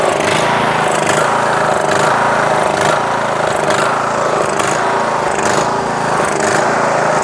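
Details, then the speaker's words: Yard Machines MTD lawn tractor, 20HP Briggs Intek, Nikki carb: engine note rises and sags about once a second without letting up. Surging; mixture screw broken so cannot adjust. "Sometimes it surges, as you guys can see, it surges. Sometimes if you just clean the carb, it won't surge, but more than likely it'll still surge because I broke the fuel mixture screw, so I won't be able to dial"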